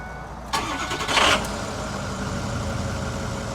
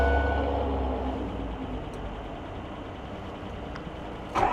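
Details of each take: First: Ford F350 6.0 diesel with replacement engine, left outside overnight in snow, after properly installing loose glow plugs: short crank, fires right away into an even cold idle with no black smoke; normal cold start. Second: Ford F350 diesel with dealership-installed new engine, cold weather, glow plugs cycled: slow, drawn-out cranking that drags without catching before a rough burst, heavy smoke; hard cold start traced to air in the fuel line.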